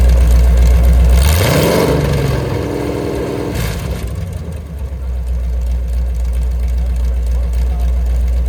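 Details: Mopar 383 V8, mufflers off, about 900 rpm idle: loud open-pipe rumble, a quick blip, then a steady, even idle. No ticking or knocking, healthy.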